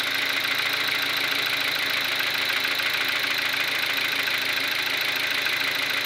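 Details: Kia Ceed with G4FG petrol engine knocking at idle: sharp, fairly regular tapping about three per second over a thin idle.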